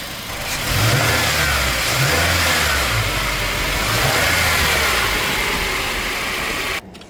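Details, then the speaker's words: Toyota Tacoma (2005-2023 generation) running with air conditioning on after replacing a worn serpentine belt tensioner that shook badly when the A/C compressor kicked in: steady, even run with no squeal or shake; belt drive healthy. "The noise is gone, so that was the issue, nice and smooth. And it's not shaking that bad like it used to. I'm gonna turn on the air."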